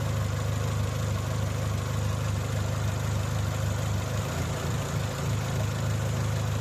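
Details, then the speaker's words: Dacia at warm idle: revs sag and rise again (hunting). The oil was changed and the oil system flushed, the throttle body was checked and signals are fine, and a smoke test was done, but the cause is still unknown. "прослухайте що воно робить з мотором зараз є такі плавання таке зараз Ровно"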